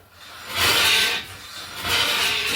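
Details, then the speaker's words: 2003 Mitsubishi Galant, wheel turned by hand during brake work: harsh scraping grind in two long sweeps; brakes on that side are grinding. "you can hear the brakes on the your side grinding now huh"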